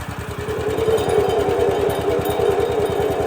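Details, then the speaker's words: Woodland Mills HM130 Max sawmill engine at 62 hours, started with the belt off: steady thumping with a rough rattling drone; owner suspects the centrifugal clutch and a bearing. "what I think it is centrifugal clutch in there, but it's making all kinds of noise."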